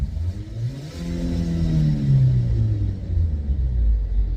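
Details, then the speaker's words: 2008 Opel Zafira B 1.8 petrol: low droning hum rising and falling with speed over tyre rumble, only on right side, absent on left, felt in steering wheel; worn front right hub bearing. "да Во он прямо в руль отдаёт Спасибо сейчас я подшипник подшипник ступичный подшипник слышно звук же да у да а слева такого нет"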